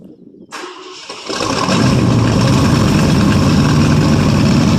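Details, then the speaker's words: 1967 Ford LTD, 390 2-barrel V8, first cold start after 12 years on 12-year-old gas, carburetor tapped. Catches and runs heavy and lumpy near half throttle, loading up rich; lifters quiet. Needs a carburetor. Rich running, loading up on fuel. "Well, he definitely loads up pretty damn good. Like I said, it needs a carburetor, definitely."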